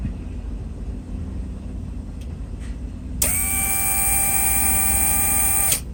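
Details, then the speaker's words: Mercedes W140 soft-close assist pump, engine idling (higher alternator voltage); steady electric pump whine about 2.5 s that cuts off cleanly; fast release, soft-close pump working normally. "Pretty nice. I mean, I don't have a problem with it anymore. It's fine. The release is fast."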